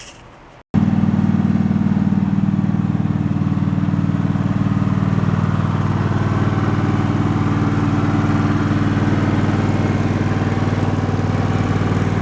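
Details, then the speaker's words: Twin-cylinder engine suspected of a tap, run about 20 minutes (first at fast rpm) in hopes it cures itself: an even, steady beat at constant speed with no tapping or knocking, so it runs normally. "so it sounds pretty good I let it run for it's probably about 20 minutes"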